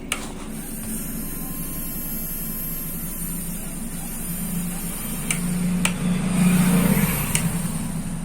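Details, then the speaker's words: 1000 W foldable hair dryer motor after oiling it to cure a noise problem: steady low hum with no whistle or squeal left, even spin; motor no longer makes the earlier noise after the fix. "कि आपने सुना कि यह motor पहले इस आवाज नहीं कर रहा है तो इसका हीटिंग ऑयल गर्म हो चुका है"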